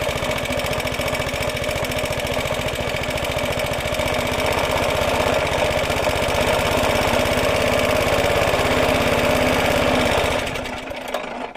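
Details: Roughly 70-year-old Suffolk Super Punch 17-inch cylinder mower, SIF 75cc cast-iron engine, with oil and petrol added after carb and points clean, microphone fitted; quick even firm beat, then dies away at shutoff; healthy normal running.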